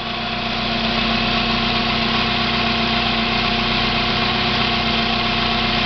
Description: My 1990 Mazda Miata makes a weird noise when the car is at idle. The sound goes away once the clutch pedal is pushed in.